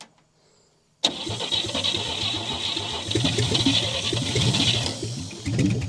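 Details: 1959 Chevy Biscayne parked for years in a salvage yard: after the idle screw was backed out too far, the engine catches abruptly, then runs rough and lumpy, struggling to hold idle, with the carburetor leaking; hard starting.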